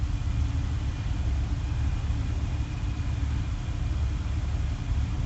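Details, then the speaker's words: 1994 Jaguar XJ12, 98k miles, Berryman B12 injector cleaner added, owner suspects a gummy idle control valve: idle dropping from about 1100 to 750–770 rpm wavers and dips unevenly; the engine stumbles and misses at low idle. "I feel a little mess in it now it's stumbling"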